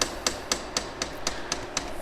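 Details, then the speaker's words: Atlantis EM-90 polymer makedown system polymer pump set to 100% speed in hand mode, drawing neat polymer while bleeding air from the inlet into the calibration tube. Crisp, even clicks about four a second, quiet background; normal priming. "We will set the speed to 100% and we'll turn it to hand. You'll hear the polymer pump start running as it starts drawing in neat polymer."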